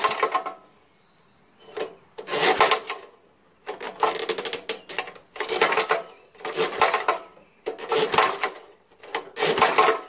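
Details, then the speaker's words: Old Jacobsen Imperial 26 snowblower, 6hp Tecumseh, spark plug found loose: slow recoil pulls with metallic rattle and clatter, never fires; owner suspects busted connecting rod, unconfirmed, compression still felt. "I think the connecting rods busted I can hear something switching around in there like it's busted here yeah it's definitely something busted in there"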